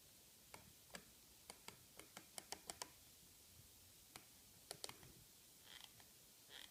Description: I bought it on 2015-8-28, and after 1 month of light use it started to make some creaking noise, when you naturally rests your palm on it and press the left button..